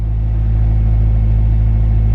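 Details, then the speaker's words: Honda EP3 Civic after idle air control valve replacement (code P1519) and fuse repair; steady even low idle rumble, no knocks or hunting, no check engine light, no noise; healthy. "we got no check engine lights everything started there's no noise"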